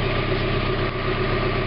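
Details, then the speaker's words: 1991 Mazda Miata MX-5 parked about five months, idling cold just after catalytic converter replacement, checking for exhaust leaks. Steady, even idle with a smooth low rumble, no ticking or puffing at the flanges; normal. "Alright, I got it running now, in case you can't hear it."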